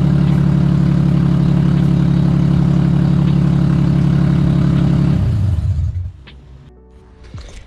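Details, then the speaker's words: Nissan VQ35DE V6 in a 240SX, running again (batteries weak, jumped from a G35): steady even idle, smooth low drone, no knocks or misses, then clean shutdown; music in background. "so as you guys can see the vq works again so that's pretty exciting"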